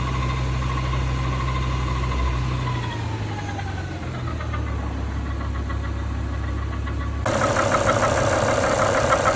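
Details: BMW E60 M5 with S85 V10 at idle: a thin steady whine that drops as revs fall and sharpens when revved; engine whine, source not pinned down.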